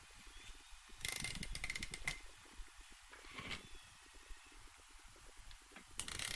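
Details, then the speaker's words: Honda VFR800Fi engine during rebuild, cases stage, turned over by hand: slow cranking with ratchet clicks and soft whooshes on each compression stroke; turns over freely, normal compression. "so what we'll do at this stage is we'll just turn the engine over a bit anyway so you can hear the compression strokes there"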